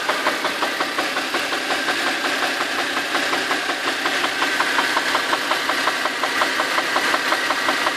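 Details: Warm Infiniti FX35 engine at idle: sharp, even tick-knock about three per second over a steady engine hum; knock inside the engine.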